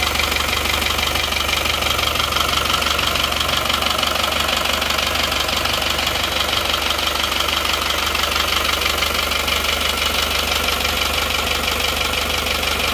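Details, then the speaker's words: Isuzu Panther diesel after liner and piston replacement with imitation 'made in Japan' pistons, started without full assembly: loud harsh clatter about three beats a second over steady idle; rough running from faulty imitation pistons. "Saya memang ingin berspekul berspekulasi karena belum percaya makudnya belum percaya Masak Saker suaranya bisa kasar gitu"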